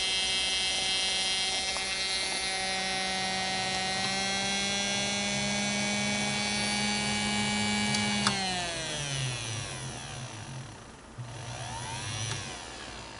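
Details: Singer Model 221 Featherweight sewing machine motor running after rehab (cleaned commutator, new grease wicks, brushes reinstalled); a smooth, steady whirring hum at constant speed, then an even wind-down when switched off, with no rubbing or grinding.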